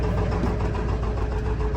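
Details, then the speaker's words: 7.3 Powerstroke diesel auction truck listed as burning lots of oil, started in extreme cold (about 50 below): steady low diesel clatter at idle, even with no miss, not even smoky. "it's not even smokey M amazed I should quit talking so much crap about this thing"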